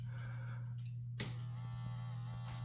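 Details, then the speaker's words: Robot vacuum base-station 5V water pump powered from bench supply: switch click then steady low buzz, pump running dry with air in line, drawing no water; fixed by priming the hose with water. "And you can hear a buzzing sound, but there is nothing coming in. And you see that the there is nothing really inside the the tube either."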